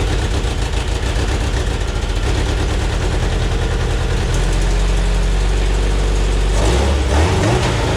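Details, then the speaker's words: Homemade race car "Scrap Metal" with a 20-year-old engine tuned while the old fuel pump was dying; hard to start after fuel pump replacement. Cranks, catches into lumpy uneven idle, stumbling as revs rise. Owner suspects the tune needs adjusting. "yes i think the issue is the tune uh when we got it tuned the fuel pump was dying yeah i think i need to get in and mess with the tune"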